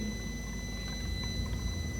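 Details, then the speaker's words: Mini Cooper S auxiliary turbo coolant pump run through a diagnostic computer, mic moved close to it; the pump itself is very quiet, with a steady gurgle of coolant moving and a thin constant high whine, so the pump works normally. "not sure if you can hear that or not that's the coolant being pumped around"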